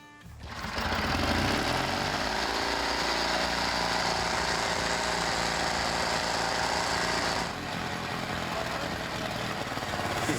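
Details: 1949 Caterpillar D2 dozer's rejuvenated donkey (starting) motor: steady, even fast engine chatter with no misses or knocks; running smoothly.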